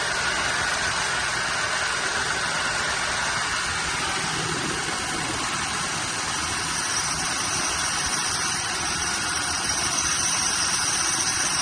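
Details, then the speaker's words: Cheap squarebody Chevy truck after fuel supply trouble, now with a working fuel pump: steady, even run with a hissy, airy tone and no misses or knocks; engine holding idle, normal running. "Fuel pump's working. That's good."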